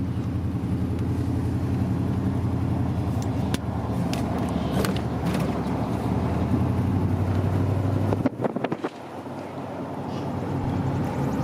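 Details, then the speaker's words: K1500 Z71 truck V8 idles fairly decently but sounds like a misfire; rough rumble broken by sharp pops and cracks as backfire under hard throttle; cause unknown. "See, if you give it just a little hard throttle, then you get some backfire."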